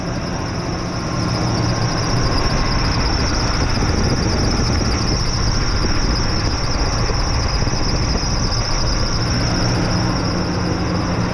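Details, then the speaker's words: 2005 Ford F-150 XL Triton V8, lifted 2WD, at idle, complaint knocking and metal in oil: steady high squeal from the accessory drive belt tensioner, no knock heard, though a knock could be masked. "yeah I hear a noise all right but it's not a knocking noise it's another type of noise yeah all I got on this thing is that sque noise down there in that tensioner"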